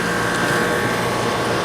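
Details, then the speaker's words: Greenhouse refrigeration compressor (1999, high hours, went through a fire) after water in the lines, an oil change and a long vacuum: steady, even hum with no knocks, rattles or surging. Normal compressor operation. "I'm pretty happy with it systems running nice compressor sounds good it's 1999."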